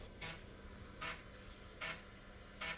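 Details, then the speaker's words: IBM PS/2 Model 30-286 floppy drive A reading a game disk, giving a "sector not found" error. Four harsh scraping bursts about 0.8 s apart over a low hum. Bad disk or faulty drive suspected. Floppy drive abnormal read noise. "with the game that didn't sound good sector not found Reading Drive a well that's no good"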